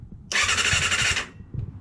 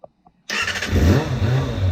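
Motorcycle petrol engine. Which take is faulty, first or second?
first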